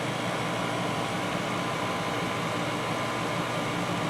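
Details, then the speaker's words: 1991 GE Potscrubber dishwasher, first full load, filling for first rinse after main wash, water warm: steady even wash noise with soft hum and spray hiss, no knocks or grinding; normal rinse fill, sounds very smooth. "so that's basically what it's doing as it's filling but maybe you'd like to see that yes so far this thing is doing great"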